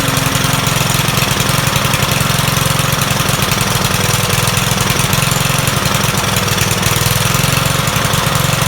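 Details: Troy-Bilt 21-inch self-propelled mower salvaged from the dump, owner thinks it has a Kohler engine: the engine chugs with a stumbling beat that surges and sags instead of holding speed. The rough running points to a dirty carburetor that needs cleaning.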